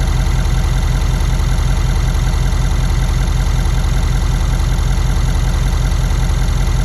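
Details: 2017 Ford F-250 6.7 diesel, 98,000 miles, idling with a fast sewing-machine ticking over a deep rumble. It is heard at the right head; a stethoscope traces it to the fuel rails at the CP4, loudest at injector 7. It also clanks at shutdown; cause undetermined.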